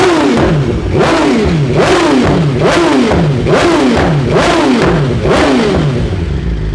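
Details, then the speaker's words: 2023 BMW S 1000 RR after Brentuning ECU flash, Sprint air filter and relocated IAT sensor: about seven sharp throttle blips with crackle and exhaust popping on overrun, flames visible. "I like it. We got some flames."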